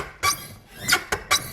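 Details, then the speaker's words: Nissan R33 Skyline drift car, squeak from inside the car: sharp, high squeaks in quick bursts with each clutch pedal stroke. The squeak persists after spraying the spring and components, and the cause is not found. "Alright, so we still got a massive squeak."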